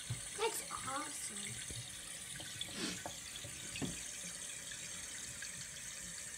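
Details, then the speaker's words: New float-type fill valve on a toilet, fitted with a new flapper to fix constant running, filling at full flow with an even hiss, no squeal or hammering; it fills fully then cuts off at once; normal. "this one you'll fill full flow all the way to the top and then just immediately cuts off"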